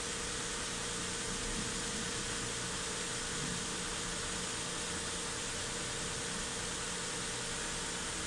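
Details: 2008 Hyundai Santa Fe under misfire diagnosis, cold engine at 39°C just after start with codes cleared: steady, even, hiss-laden idle with a constant low tone and no stumbles or misses; normal idle.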